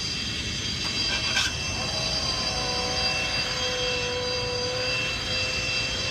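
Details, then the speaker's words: 2007 Mazda 6 right after starting, during a starter replacement job, with little maintenance over the years. A steady high whine with several stacked tones sits over the engine, attributed to the power steering pump. "And that's why it sounds like how it sounds. It's just that power steering."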